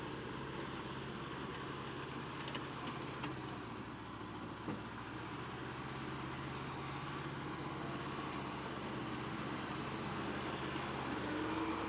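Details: Cheap, hard-run Bobcat 610 skid steer with four-cylinder gas engine, said to crank every time and run good: even, steady low idle chug of three to four beats a second, smooth throughout; normal idle.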